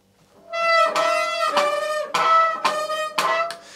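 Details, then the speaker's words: Lapierre 627i e-bike disc brake: loud, steady high-pitched squeal pulsing about twice a second, from pads contaminated by fluid, with the bottom of the caliper looking wet. "i can see looking at this that this is definitely contamination because the bottom of the caliper looks wet yeah contamination just remember that squeak because 99 of the time that screech and that squealing is contamination on your pads"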